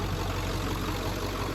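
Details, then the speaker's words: 1994-97 Ford F250 OBS 7.3 Powerstroke diesel idling just after fuel bowl delete and electric fuel pump conversion, regulator showing 60 PSI (64-68 expected): steady, even, consistent idle, fuel pump audible, no misses or knocks; normal, sounds healthy. "But for the most part, it just sounds so much better. Sounds so much more consistent. Just sounds healthy. It just sounds like it's getting exactly what it wants."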